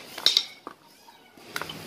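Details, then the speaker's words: Toyota Avanza/Innova propeller shaft cross joint (spider kit) flexed by hand during removal: short sharp high squeaks; needle bearings inside likely broken up and dry, joint being replaced. "Hai itu kenapa bisa bunyi apa ya ini biasanya bearing didalamnya sudah rontok dan kering ya"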